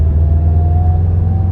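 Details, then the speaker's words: Subaru STI with an EJ257 engine: low, even rumble at steady light throttle around 2000 rpm while driving, no knock or tick. The engine sounds healthy. "It sounds healthy though. I am so happy just like literally just putting this thing around at 2000 RPM."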